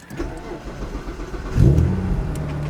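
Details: Car started after Magna fuel pump replacement, cranked a couple of times to build pressure at the pump; short crank, catches cleanly at about 1.5 seconds, settles to steady even idle, no leaks. Normal start.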